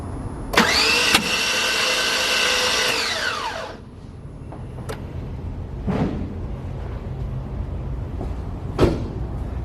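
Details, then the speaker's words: 2009 5.3 LS truck engine, cranked on a hooked-up battery: fast even spin with no compression except one faint blip. The broken cam locator pin let timing slip, leaving a bent valve. "so one of the cylinders has some compression not very much but I'll look at the footage later maybe you saw push some of the rocker arms moving a little bit but yeah engine just spins no compression"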